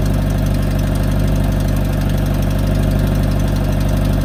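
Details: 2018 Subaru WRX base, Stage 1+ COBB tune, COBB intake, muffler/resonator delete: loud hard metallic clack about twice a second at idle from the engine bay. It started small a week or two earlier and grew louder; no fix found.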